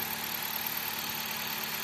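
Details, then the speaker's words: Low-mileage ex-fleet 2013 Dodge Avenger just after oil pan replacement and refill: steady, even idle with a slightly buzzy, raspy edge, no knocks or misses, typical of this engine; oil burning off the exhaust, no pan leaks; normal idle. "These aren't the quietest engines to begin with, so it's a little buzzy, but I think these all are. Sounds pretty good."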